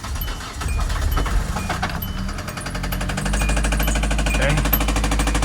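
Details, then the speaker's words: Hyundai Elantra bought back as a non-runner, started after adding motor oil: catches and settles into a rapid steady knock over a rough low rumble; bearings damaged from running with almost no oil; more oil added to try to quiet the knock. "We got it started. However, we got a little bit of knocking. Definitely knocking. Let's get a little bit more oil in there now that we know it'll start. And see if we can get that knock away."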